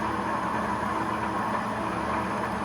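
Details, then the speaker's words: Horizontal universal mill hobbing a 40-tooth worm gear in an aluminum blank, .2157 in full depth in one pass, about .010 in feed per blank revolution: steady dense drone with slight motor hum as the deepening cut loads it. "As the cut gets deeper, the amount of metal removed per pass gets a little heavier, and I can hear the motor starting to hum just a little bit"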